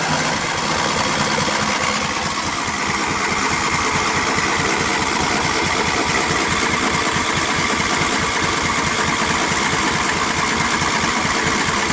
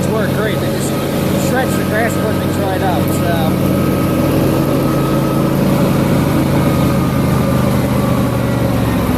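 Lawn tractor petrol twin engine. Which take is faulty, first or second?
first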